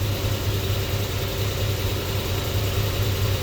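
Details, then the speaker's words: Chevy C10 Squarebody with an LS swap, idling at no more than about 550 rpm with a misfire code. Low, slow, lumpy idle with an occasional stumble, and cylinder four is mentioned. The cause is not yet found. "I uh I talked to Justin about that he says because we don't have attack it don't see the cluster again but the engine misfire will have to figure out what it is"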